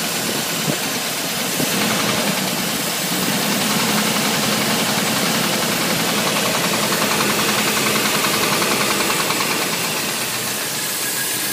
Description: '87 chevy 350 TBI knock under load